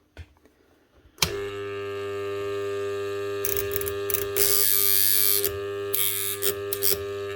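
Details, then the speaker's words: Bosch GWS 9-115S 115mm angle grinder armature, 110 V, on a growler at 60 Hz: loud steady mains-rate hum with rattly buzzing bursts as the plate vibrates over shorted segments; nearly every winding burnt out and shorted together, armature needs replacing. "So that's actually switch on this magnet and the armature on and off 60 times a second and make a vibrating noise on this plate."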